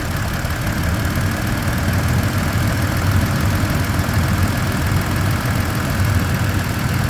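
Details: 2023/2024 Tacoma TRD OR (year given both ways) at steady idle, with a low, pulsing helicopter-like whir over the engine that is constant throughout; its source is unknown.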